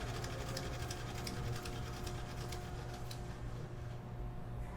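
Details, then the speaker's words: DC motor with compensating winding on a no-load test: steady hum with a fizzy crackling hiss and sparking, because the carbon brushes are not yet seated on the commutator. "evita ese ruido que se escucha es porque falta que el carbón y el conmutador le falta un asentamiento de carbones"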